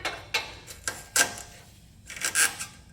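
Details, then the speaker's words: 2004 Lexus GX470, 216,000 miles, front-suspension squeak complaint: bursts of dull knocks and scraping rubs with each pry-bar shove on the passenger-side front wheel; lower control arm bushings completely worn out, large wheel movement, control arms need replacing. "However, these are completely shot, even a little bit. I hope you can see that huge movement of the wheel. And that, my friend, is end of these lower control arms"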